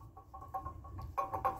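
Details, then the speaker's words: 1995 GMC 5.7 V8, engine off, belt removed: soft irregular clicking as the water pump shaft is rocked by hand, loose play from a worn water pump bearing. "That shaft play, you hear that? That's not good."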